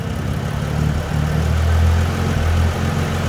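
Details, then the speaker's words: Dodge Journey alternator test, cable disconnected, nobody pressing the gas: deep idle drone swelling and sagging every second or so like someone blipping the throttle; hunting idle, cause not confirmed. "that's like somebody hitting the gas ain't nobody hitting the gas"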